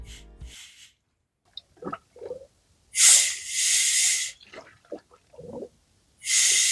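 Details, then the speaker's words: VW Passat B8 2.0 TDI EA288 (DFGA) after engine repair: coolant hose to heater pipe removed, compressed air at about 1.5 bar applied slowly; sharp hissing bursts with quiet gaps as trapped air bleeds from the cooling system. "And so the air little by little goes away. You can use compressed air. Just a little bit. One and a half bars."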